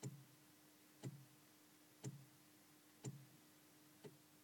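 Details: DeLorean VIN 6080, no-start with fuel pump replaced, runs on starting fluid: with key off, sharp single click repeating about once a second from relay compartment; owner unsure if normal.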